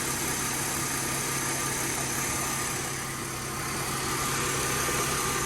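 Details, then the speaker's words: Mercedes W204 after belt tensioner replacement: smooth steady idle with no belt chirp or squeal, drive belt quiet so far; owner will judge after a day of driving. "газан Ну в общем что сказать пока тихо поездит потом вам расскажу кому интересно"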